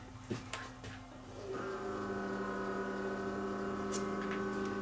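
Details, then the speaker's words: Emerson VCR4003 mono VHS deck, non-functional, powered up for the first time. A few clicks, then a steady motor whir keeps running with no tape loaded; a motor is spinning when it shouldn't. "that doesn't sound good sounds like a motor is running and there's no tape or anything in it"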